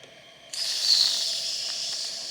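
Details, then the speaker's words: Wilesco D455 toy steam engine, warmed up and refueled: the whistle opens to an airy hiss with only a faint high note because the boiler is not yet at full pressure, shortly before the safety valve lifts. Weak whistle from low boiler pressure. "Yeah, not quite enough pressure yet, but obviously it's getting there."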